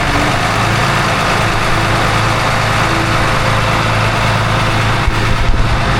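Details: Port engine of 47 ft Carver motor yacht, around 1000–1500 rpm: even low hum, no metallic grinding or belt chirp; no more noise, belt flaking gone, supercharger hopefully saved.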